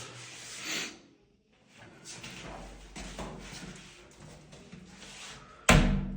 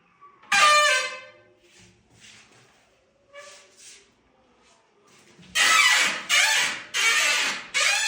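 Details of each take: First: Glass shower door after WD-40 on the previously squeaking hinges, a temporary fix in place of silicone grease: it swings with no squeak, then closes with a firm knock; the sagging door was also adjusted and the seals replaced. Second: Glass shower enclosure door after re-hanging the sagging door and replacing seals and spacers: loud shrill squeals from the hinges with each swing; dry hinges needing lubrication, cured with WD-40 (silicone grease recommended).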